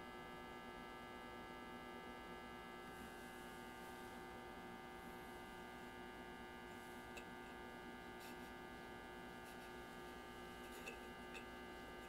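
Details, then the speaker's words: 1934 Grunow 501 five-tube transformerless radio brought up on reduced voltage, about 90 volts, with a 78 tube substituted; steady low raspy mains buzz, no programme, fault not yet traced: loud buzz at power-up. "I hear buzzing a horrible we're gonna hear anything we should hear it now it's trying now"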